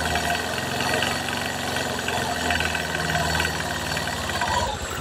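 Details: Honda Vario 150 scooter, engine revved from idle: rough metallic knocking rising with revs, clearest around 2000–2200 rpm, with heavy vibration; suspected to follow an engine rebuild reassembled without regard to oil pump and oil passages, not confirmed.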